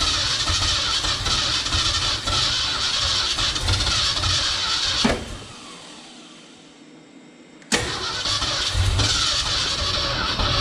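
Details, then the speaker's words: 1969 Ford F-250 sitting since 2001, engine previously stuck, first start attempt: long uneven cranking with a few weak firing pops, firing on only a couple cylinders; suspected transmission oil fouling the spark plugs and/or low compression. "probably either that transmission oil got uh fouled at the spark plugs or low on compression or a combination of both but uh it's it's firing on a couple cylinders"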